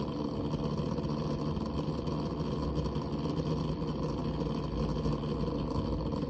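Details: New Barrow pump and CPU waterblock combo for AM4, recorded close: low hum with a fine, uneven rattling texture; sounds fine above 50% pump speed, so rattle occurs at lower pump speed; cause unclear.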